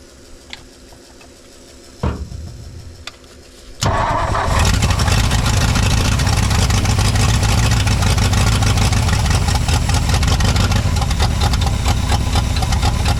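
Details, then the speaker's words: 1959 Ford F-600, 292 Y-block, swapped carburetor, electric fuel pump: a few clicks, then fires and settles into an uneven, loping idle; rough idle, owner suspects a vacuum leak from a rear port, not confirmed. "hey we got an idle out of him I got a vacuum lead somewhere I think it's out of that Port back here"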